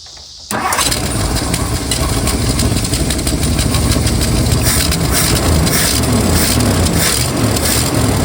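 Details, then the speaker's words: 1964 Mercury Marauder 390 V8, long-sitting, after restoring spark and priming carburetor: engine catches with rough, uneven firing and keeps trying to run into ragged idle; leaking fuel fitting then caused a small engine fire. "It must be getting gas now. It's trying to run."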